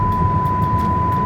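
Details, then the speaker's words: VinFast VF6 Plus electric car, 2 weeks and over 1,000 km old, while driving: steady high-pitched warning tone over road rumble with nothing nearby; owner suspects faulty proximity sensor giving false alert. "yeah so this this is going to be like that for a while I don't know where that is coming from uh I assume some one of the sensors is picking up something it's like a proximity warning"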